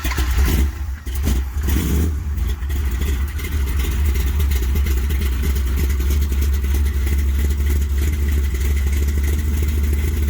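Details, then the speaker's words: 1973 Plymouth Satellite big-block stroker V8: catches and settles into a heavy, lumpy, sluggish run with a dull low rumble while holding oil pressure; ignition timing way off, too retarded. "me oh yeah time is way off slow yeah still oil that's a good start all right just the timing"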